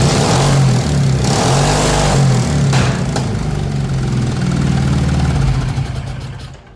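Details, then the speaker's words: MX-1 racing mower engine after valve adjustment and a 34 mm performance carburetor upgrade, started warm without choke: it catches right away into a quick, steady thumping idle with no stumble; normal. "I love that it starts so easy."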